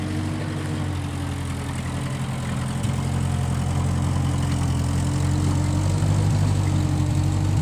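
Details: 1955 Massey Ferguson MF65 tractor, run after sitting a couple of years, carb cleaned; owner thinks the Marvel Schebler carburetor needs slight dialing in. Steady low drone, even beat around four per second, no misses or knocks: normal running.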